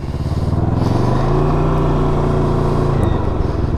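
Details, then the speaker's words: 2020 Can-Am Ryker 600 after a rear collision: engine revs hard and a single dull driveline clunk sounds as the drive takes up slack on a handful of throttle; eased on gently it takes up smoothly. "yeah if you easy on it it grabs takes up the slack smoothly now if i grab a handful hear that clunk"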